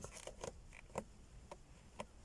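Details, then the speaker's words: Car dashboard light-control panel after taping plastic contact points with Madeleine felt tape: pressing gives only short dry plastic clicks and taps, no squeak or creak; repair successful. "посторонних скрипов не доносится соответственно все сделано правильно"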